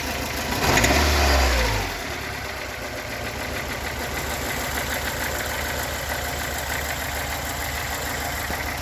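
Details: Toyota AE86, stock bigport blue-top 4AGE, 195k km on replacement cluster, warm idle: slightly hunting with a quick regular tap about three per second; rough idle and knocking, source not yet found.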